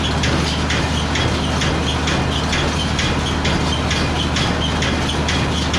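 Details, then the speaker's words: Baler test run on the Massey Ferguson's PTO after new pickup bearings replaced a cooked one, freshly greased and checked: a steady tractor drone with an even mechanical clack about twice a second. Normal baler operation. "And now we're gonna just put the PDO shaft together and hook it up to the Massey Ferguson and just test it, because Dad's just greased it all and checked it out."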